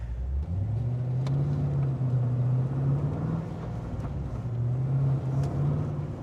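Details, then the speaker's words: VE Commodore with LS3 and M6 manual, Chopper Reid camshaft, CNC heads and aftermarket clutch, downshifting at an intersection after half-throttle driving: deep, even V8 rumble settles from a light rev to a steady idle with no hunting, stumble or stall, a normal return to idle. "So you come up to an intersection down change down no problems in the world. It returns to idle, does everything correctly."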